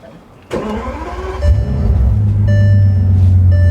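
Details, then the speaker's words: Bentley Continental GTC Supersports, 6-litre bi-turbo W12, push-button start: brief crank, clean catch, deep smooth idle with no bottom-end rattle or knock. Normal start. "You don't have to put the key in. You can just press start."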